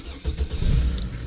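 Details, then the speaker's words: 2006 Chevrolet Trailblazer, first start after repair of a ting noise on take-off that set off the knock sensor, fuel very low; brief crank, clean catch, smooth deep rumble with no ringing or grinding; normal start. "oh it sounds so much better"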